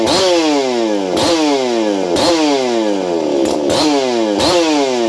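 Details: Ported experimental Shindaiwa 492 chainsaw on bench test run with stock air filter: two-stroke revving up and dropping in even repeated bursts, clean high note, no misfire or sag; sounds healthy.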